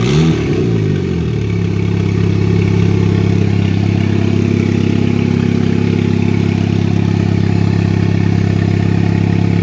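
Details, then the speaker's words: 2004 Chevy Cavalier, 2.2 L Ecotec I4 with a 57 mm turbo, first start on two-year-old fuel with no intake or exhaust sensors: catches into a loud, deep, droning idle as the wide-open wastegate bypasses the turbo; loud exhaust from the open wastegate. "And as far as the tone of the video, or tone of the exhaust, the wastegate's wide open right now. So a majority of the exhaust, instead of going to the turbo and getting muffled, it's just bypassing it and coming straight out the exhaust."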